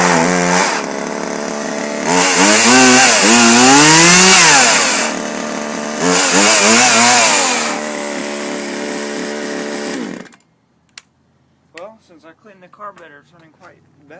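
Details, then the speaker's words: Craftsman 40–42cc two-stroke chainsaw, carburetor recently cleaned, cutting firewood. The chain keeps coming loose; the owner thinks he may have tightened it too much, hurting acceleration. It revs cleanly from idle to a high scream and back under load: healthy running. "it's a pretty good chainsaw it's a 40-42 cc"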